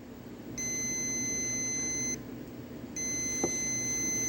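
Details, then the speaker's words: 1948 Ford 8N tractor distributor, continuity tester across the ignition points after cleaning: two faint, steady, high-pitched buzzing tones, each about a second and a half, with quiet between. The closed points show continuity. "so it's pretty faint but this thing's buzzing away and showing continuity"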